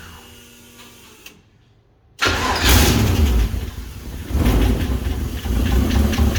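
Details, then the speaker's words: Toyota Toyoace truck with swapped 6-litre engine, first start in truck with new exhaust, no cooling yet: quiet start then rough heavy churn surging unevenly, never settling; owner suspects fuel starvation, return line draining tank; crank no start. "I wonder if I've got no fuel. Alright, so I need more fuel, mainly because this is a return system and the return line comes up so high."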